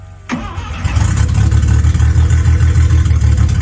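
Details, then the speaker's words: Rotary 12A engine in a budget Mazda RX7, restarted warm after sitting a few minutes, no throttle: starter whirr, then rough lumpy fast-pulsing running and it dies; hard to restart afterwards. Stalls when throttle released; oil pressure present. "Very cool, very cool. And then it dies. Oh wow, it really didn't want to start after that one."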